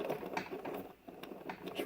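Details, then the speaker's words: Maytag front-load washer (MHWE400WW01), bearing removed: rough, uneven clicking and crunching as the worn inner drum bearing is turned by hand; the inner seal had also failed. "here's the bearing here is the inner seal here that that went bad and you can hear that not that bearing as toast happened"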